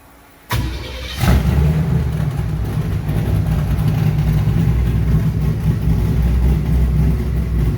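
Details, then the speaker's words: Airboat engine with newly wired Holley Sniper EFI during tuning, reading slightly lean: catches and settles into a steady, even low rumble with no misses or stumbles; normal idle. "it doesn't it doesn't get super hot i mean they're both at 183 uh and it runs good"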